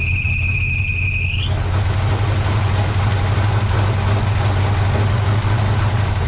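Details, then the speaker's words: 1970 GMC truck, freshly rebuilt V8 with all new gaskets and seals, first fire-up: brief rising squeal at startup then steady, even V8 rumble running on its own; seems to be running a little rich, carburetor mixture screws need fine tuning. "hot dance is running on her own yes it sounds i believe she's running a little rich"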